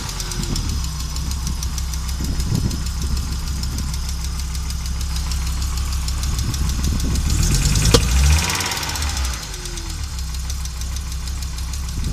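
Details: Audi Coupe converted from NG to AAR engine, hard starting and stalls while driving: uneven, stumbling idle with lumpy low beat and irregular knocks; many misfires, running rough, cause unknown.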